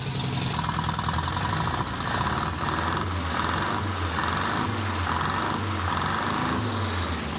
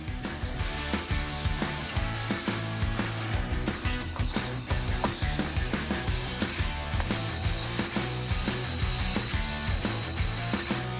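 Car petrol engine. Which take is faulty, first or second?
second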